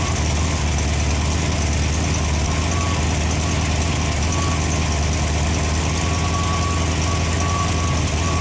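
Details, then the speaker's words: Freshly rebuilt Ford FE 390 V8 (Edelbrock, fuel-injected, mild cam) on an engine run stand, fully hot after heat soak, holding temperature with oil pressure about 55: deep, even, unbroken idle with no knocks or misses, running smoothly. "We got her good and hot, and she ran really smooth. That mild cam in there sounds pretty good too."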